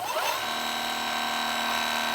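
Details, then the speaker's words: Inboard M1 electric skateboard hub motor: high steady whine with a faint rattling tick at speed. Clicking from only one motor, heard in beginner mode; cause unknown. "just have a problem with the clicking noise in this motor right here."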